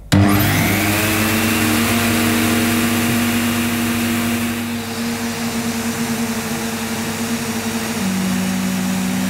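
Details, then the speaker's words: A 1987 Electrolux Elite Super Electronic vacuum cleaner on its first run at the 400-watt setting. The motor spins up fast to a rough, wavering whine with a pitch shift near the end. Abnormal motor noise that the owner says doesn't sound right. "right no that doesn't sound right if this had not been a hospice i'd have been on to them say that i mean that doesn't sound right and i don't i don't want that to run for much longer because i just had images of flames coming out the back"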